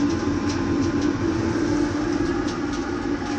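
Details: Waste motor oil furnace after thinning the oil and bringing it back to proper operating temperature following a rich runaway: steady, even roar with faint constant low hum, no pulsing, sputter or surging; burner running normally.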